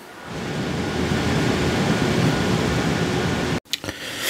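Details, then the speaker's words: Yeston Zeaginal ZC-Zeus XT 360mm AIO cooler fans at 100% speed: a loud, even, jet-like rush of air with no ticking or rattle; normal fan noise at full speed. "100% F speed so from what you can hear it sounds like a jet"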